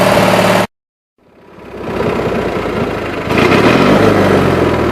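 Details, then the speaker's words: 20-G mower at idle; engine cuts out then catches into an uneven loping, stumbling idle, carburetor borderline and flooding at idle, possibly also nearly out of gas. "This carburetor is definitely borderline. It's flooding at idle."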